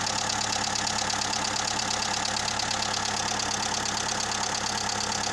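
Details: Skoda 1.4 16V petrol engine, about 170,000 km, fresh oil and filter, after rebuild: idle with a light, regular knock of about four beats a second from piston slap, much quieter than before.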